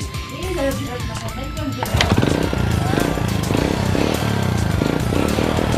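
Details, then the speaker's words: Old Honda Supra motorcycle that bucked and surged on throttle, after a new camshaft was fitted and the decompressor removed, idle not adjusted: small single revs up crisply and pulls cleanly with no hesitation, music in background; normal revving. "Oke, Kang Bro. Ya, tarikannya sudah enak, enggak ada mbetnya."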